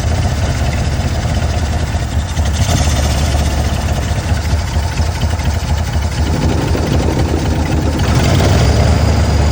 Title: 96 bronco 5.0 multiple cylinder misfire checking fuel pressure #automobile #mechanic